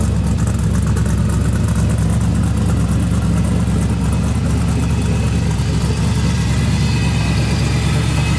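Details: Twin-turbo LS V8 in a Chevy II Nova, pump-gas build making about 800 hp on the dyno, with stainless headers and wrapped exhaust: strong, deep, even idle with a steady lumpy pulse and no knocks or misses; running healthy.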